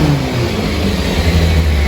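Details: 1999 Kawasaki 600 inline four, rebuilt after number one cylinder hydro-locked from flooding (suspected leaking needle and seat): steady, even exhaust drone, no misses or knocks; normal running.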